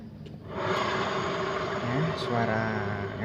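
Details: Yamaha Mio M3 scooter revving with a rough, rumbling growl under the engine note from the final drive; a worn final drive bearing is suspected, and the CVT cover was opened to check it.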